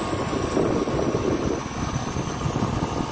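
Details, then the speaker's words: Copeland digital scroll compressor in a Liebert precision-cooling unit: a steady low rumble swelling and easing in a slow cycle with no knocking or grinding. This is normal solenoid-driven loading and unloading; the compressor is fine. "so compressor is fine it's just it's a digital scroll compressor and"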